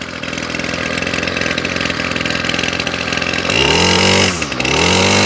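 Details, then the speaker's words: Ryobi Grass Scorpion RCT-2800 two-stroke line trimmer after new fuel lines and primer bulb, carburetor not cleaned: high ragged buzz drops to steady even idle with one brief dip; running cleanly once fresh fuel got through. "beautifully well there we go it does take a bit to get the fresh fuel through a Carby without cleaning the cabby out"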